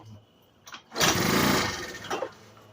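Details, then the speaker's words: Garage-sale scooter with a starting problem: a brief sputtering burst as it catches on added fuel, then fades. Bad gas has gunked up the carburetor; the fix is to remove and clean the bowl. "What's the bad gas? This is the bad gas in it. Gunk up in it."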